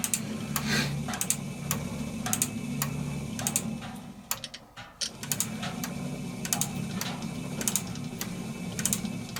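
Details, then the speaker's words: Servis (Eudora) 386 compact 3 kg washing machine running: regular sharp clicks about every half second over a low motor hum, the normal ratchet of the mechanical timer cog, which clicks ten times faster on spin. "so that's why um when while it's running you always hears clicking and on spin it clicks 10 times faster because it's clicking it's going because it's going round 10 times [Music] faster"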